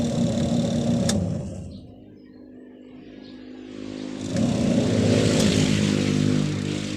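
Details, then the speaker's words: Panasonic 5.2 kg single-tub washing machine after power repair with a new plug, wash cycle reversing about every 15 seconds: low steady motor hum and churn fades as the drum reverses, then builds again; runs evenly. "so testing natin guys gumana pa siya"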